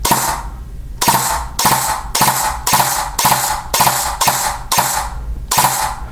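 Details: E&L AK12 AEG rebuilt with Arcturus parts, gearbox with metal bearing spring guide and adjusted motor height, on 7.4 V battery, two-round burst: sharp crisp cracks in quick repeated bursts, no grinding or motor strain; gearbox cycles properly.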